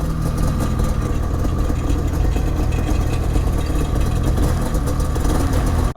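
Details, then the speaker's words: Ski-Doo Gen 5 snowmobile two-stroke at idle in cold weather: a loose, buzzy rattle on the exhaust side, first suspected as a muffler baffle, traced to a battery holder tray shaken off over moguls. "thing right here this noise I found my rattle I don't know where my rubber band is though dang it I need some zip or something uh yeah battery holder tray thing came right off somehow"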